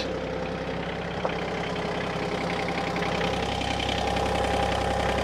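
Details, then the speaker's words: Excavator diesel on a patio dig, at steady idle: even low rumble with light clatter, no misses or surging. Running healthy. "right what's the magic number oh she purrs like a beast"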